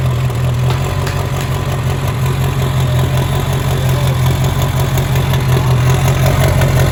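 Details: Diesel mega mud truck idling after first start following pond rollover, oil added to cylinders to restore compression: low, heavy diesel clatter at an even, steady idle with no missing beats; running normally again.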